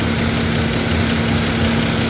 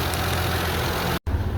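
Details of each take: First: 2001 Mazda 626 2.5L idling before cylinder 5 injector replacement: rough uneven lope with a missing beat; misfire from bad fuel injector on cylinder 5, short-term fuel trim bank 1 around +30, lean. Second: 2001 Mazda 626 2.5L after replacing dead injector: even steady low idle, no stumble; short-term fuel trim bank 1 now 6 to 15, down from +30 lean; idling normally.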